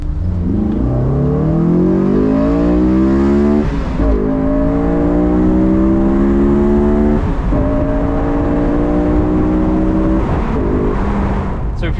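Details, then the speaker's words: Honda S2000 AP1 on a drive just after rain, with the airbox lid removed: a loud hollow intake howl climbs in pitch with each rev pull and resets at every shift, normal open-airbox induction howl for S2000s. "you can simply remove the airbox, which I don't usually recommend because you get this strange howling sound that is normal for the S2000s."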